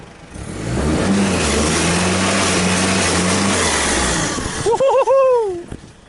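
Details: Rebuilt four-wheel-drive vehicle on a test drive before its MOT, four-wheel drive engaged: the engine pulls hard from low revs, the note climbing smoothly and evenly under load with no knocks or misses. Normal acceleration.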